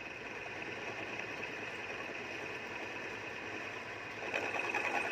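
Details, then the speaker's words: Lathe turning a welded crankshaft end: hissy cut with light, uneven tapping about three times a second as the tool meets the weld bead, which is harder than the surrounding steel from filler wire and heat. "ที่แก๊กๆเนี่ยนะครับรอยเชื่อมนะครับรอยเชื่อมมันจะแข็งกว่าเหล็กนะครับผมเพราะว่าลวดเชื่อมนะครับบวกความร้อนเข้าไปนะครับละลายเหล็กนะครับมันก็เลยทำให้มีเสียงนิดหน่อยนะครับ"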